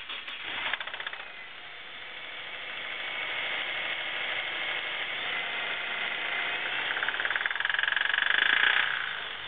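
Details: 2009 Subaru WRX with 12,300 km, idling rough with uneven metallic knocking at three to four per second that grows louder with revs; rod knock first noticed while parking, and the dealer prescribed a new engine.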